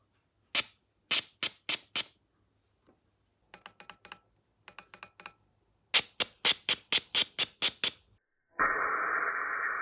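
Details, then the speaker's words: Mitsubishi Evo fuel injector (number 3, found stuck) out of the engine on a DIY cleaning rig, pulsed from a battery: crisp separate clicks in short irregular bursts, sharp even openings, then a hiss of spray as cleaner fluid unsticks it and it opens fully. "After making contact a few times, the injector cleaner fluid unsticks the injector and it fully opens."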